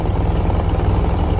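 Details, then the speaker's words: Concrete track buggy engine on a pool surround job, loading a 16 cubic foot pour: low uneven chugging with ragged irregular pulses, spitting and sputtering, not running well. "Helen's not running that great you can hear it spitting in butter"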